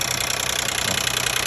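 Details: 2012 Nissan Maxima 3.5 L engine idling, cover on, steady with no load change: fast, even light ticking rattle over the engine's hiss; later suspected to be a loose intake bracket.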